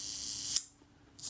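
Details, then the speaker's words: Agfa Record II folding camera with Synchro-Compur shutter, serviced. On a slow setting there is a soft release, a brief buzz, about half a second's gap and a closing snap; slow speed timing sounds right. "That sounded credible to me. Let's give it a 1/10 of a second setting a burn. And again, that sounds credible to me. That sounds good."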